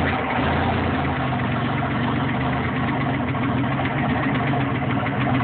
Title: Rod knock? Stuck valve? Exhaust leak?